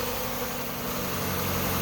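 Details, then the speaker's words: 1996 Mazda Miata 1.8 cold start: idling high but very stable, nice and smooth, steady even low rumble with no misses or knocks; owner notes occasional lifter tick; normal idle. "it's idling high tipping it's a cold start but it's huddling very stable nice and smooth"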